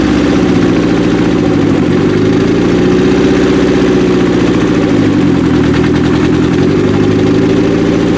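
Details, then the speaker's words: 1995 Acura Integra LS turbo B18 built engine, first start after cam install: uneven loping idle with a missing pulse each cycle; one cylinder dead on injector-unplug test though it has spark, valves possibly to be checked. "That one's good. That one's good. Those two cylinders. First one. That's 100% dead."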